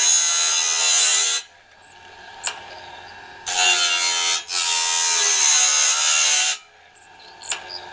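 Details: Norwood BladeMate Pro band-blade sharpener, set up and cutting right: bright, steady grinding hiss in repeated stretches with short pauses between passes, no chatter; normal sharpening.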